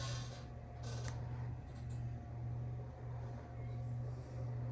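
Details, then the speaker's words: Heat pump air handler indoor fan after replacing the droning motor: low, steady hum with smooth airflow, no rattle or drone, barely audible; new fan motor runs normally. "I can just slightly hear it. If I bring you up to it, you can probably hear it. Might be able to hear the wind. [snorts] It's dead quiet."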